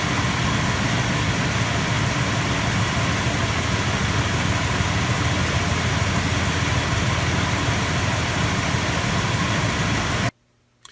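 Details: Engine idling after starting without problem a week after battery reconditioning with a Topdon Tornado 4000 4A charger: steady, even idle with a smooth low drone, no knocks or stumbles. It runs cleanly.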